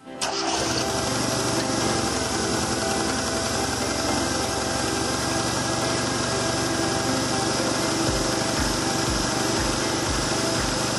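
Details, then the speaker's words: ZAZ Tavria/Slavuta engine with a faulty, dirty knock sensor and broken wire, check engine light on: settles into a steady but slightly uneven idle, running rough on three cylinders with black deposit at the exhaust tailpipe. "motori funksionon ashpër dhe një shtresë e zezë shfaqet në tubin e shkarkimit në pjesën e pasme ."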